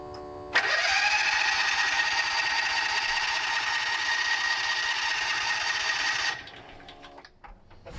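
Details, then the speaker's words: 2006 John Deere Gator HPX 4x4, not running for a while, on battery charger; starter whines steadily about six seconds spinning engine evenly but never fires; cranks but won't start, possibly needs fuel priming. "I hope it charges oh sounds good like there's a little bit there but sounds better than the other one"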